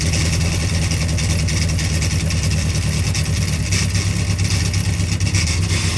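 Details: Freshly built Carter 998 engine on its first dyno run, carb being set up, about 80 psi oil pressure. A steady, even note with a strong low rumble and no knocks or misses. Sounded sweet; normal running.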